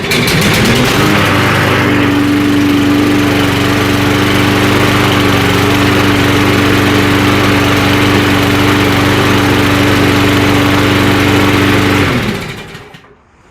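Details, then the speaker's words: Murray mower small engine being repaired for surging and hunting, started on starter fluid with the air cleaner off. It fires and holds a steady, even note about ten seconds, then dies; it still won't start with the air cleaner on. "Okay, she sounds pretty good, but we still didn't get her to start with the air cleaner on."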